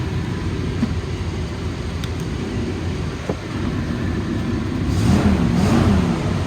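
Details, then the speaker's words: 1995 Ford F-350 XL cab and chassis, 7.5L gas V8, automatic, 129,144 miles, warm: deep note climbs cleanly on the throttle and drops back without stumbling or rattles. Revs up nicely, very responsive; normal. "Truck revs up real nice. Very responsive, very powerful truck."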